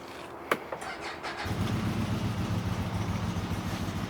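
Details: 2023 CFMOTO UForce 1000 XL with one mile, normally hard to start cold and throwing check engine lights: a few starter clicks, then it catches at once and settles into a steady, even idle with no hesitation.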